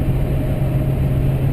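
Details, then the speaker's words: 2005 GMC Sierra 2500HD Duramax diesel on its first interstate run with a new 4in exhaust: Corsa front pipe, Jamo catback and FTE resonator muffler. Even, low in-cab hum at steady highway cruise with little drone. "really much Drone at all and I I saw a lot of people complaining about uh drone with the mbrp 4in straight pipe"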